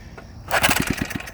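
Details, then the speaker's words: Antique Briggs & Stratton engine, maybe from the 1950s, previously seized with stuck valves. Fast rope pull gives about eight soft quick chuffs with little bite. Gauge reads about 25 psi: low compression, expected to build with oil. "alright now I'll take the compression gauge so we got what about was that 25 pounds of compression pretty low but it has compression now"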